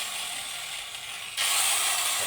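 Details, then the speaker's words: Angle grinder (Hitachi-equivalent parts) tested after repair of a growling-then-dying fault: steady high whir growing louder and harsher as the disc bites, no growl, bogging or sparking; runs smooth, repair successful. "sempurna tidak ada saksikan bunga api dan halus suara mesinnya"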